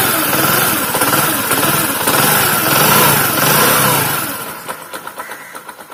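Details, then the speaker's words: Discover motorcycle after the engine was opened for a connecting rod and piston knock and both were replaced with new parts: smooth, even run with no bottom-end knock, then shut off and sputtering to a stop; problem solved. "और जो सामान ख़राब था उसको पूरा चेंज कर दिया, तो प्रॉब्लम सॉल्व हो गया हुआ है।"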